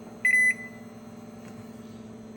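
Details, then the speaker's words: Microwave after replacing a damaged 20 A fuse and the door switch, which had been blowing the fuse when the door closed, on a test run: a steady low hum of magnetron and fan with clear high beeps at start and stop, normal operation. "Yep. Machine working and up."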